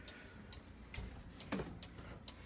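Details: Repaired cuckoo clock, damaged in shipping, bird reattached, bellows refabricated, had trouble keeping time: quiet, light ticks about twice a second, even and steady in a small room; normal clock ticking.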